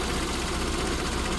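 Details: SPI Mini, petrol, engine warm, coolant 77, inlet air 34, idle dropping, coolant and inlet air sensors confirmed working; smooth even idle with steady low hum, no knocks or ticks; normal warm idle.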